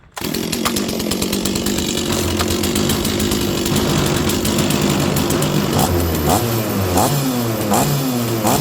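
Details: Stihl 036 chainsaw that sat about 20 years, restarted after priming with fuel: the two-stroke catches at once and holds a steady, even buzz with a few clean throttle blips; normal running.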